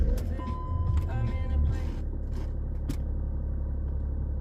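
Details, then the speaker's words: BMW X5 E53 3.0d six-cylinder diesel, previously lumpy at idle, after replacing a fuel filter overdue by three years: steady, even low idle rumble with no misses, normal idle. "idle's nice and perfect now sophie that'll stay like that now"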